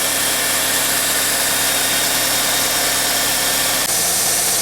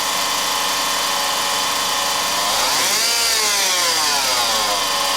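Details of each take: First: 2004 Honda Civic LX 1.7L after alternator replacement with belt tension corrected: an even, smooth, quiet idle hum, and the earlier growling from below is gone. Normal idle. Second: 2004 Honda Civic LX 1.7L at idle: a high whirring whine that rises and falls with quick revs and follows engine speed. The owner is fairly sure the alternator front bearing is shot, though a power steering pump was also suspected.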